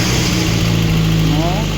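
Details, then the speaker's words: Lada Kalina after head gasket replacement, first start after bleeding the oil system; it had been misfiring with two cylinders dead. Now a smooth, even, quiet idle on all cylinders with no misfire or popping; normal idle. "все прекрасно друзі нічого не троїть не пердить ще й дивіться блок досить тихо працює"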